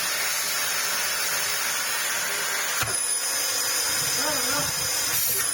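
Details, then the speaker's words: Dyson DC18 Slim vacuum, in for a service, has a steady but thin, weak high-pitched motor hiss with a significant drop in suction power. An internally clogged filter or a torn hose is suspected. "It's very possible that this filter here is pretty clogged internally. They do get like that, although that was a pretty significant drop in power."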